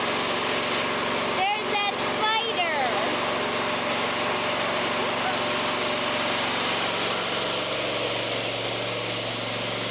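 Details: Fairly new lawnmower, single-cylinder, running with the mower deck off after checks: fast, uneven with occasional stumble; intermittent misfire, less bad than before, choke clears it, owner suspects a fuel problem.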